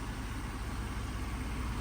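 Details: 1992 Chevrolet Silverado TBI after K&N cold air intake install: steady, even low rumble with no knocks, misses or rattles; idles smoothly, healthy.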